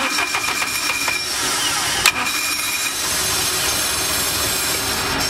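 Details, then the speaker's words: Kazuma Mammoth 800 side-by-side after adding a lawnmower three-post solenoid jumper to the starter to cure intermittent clicking no-start: starter spins briefly, engine catches cleanly and settles into a steady idle; now starts every time. "And now it kicks over every time. No more intermittent. No more intermittent. Every time."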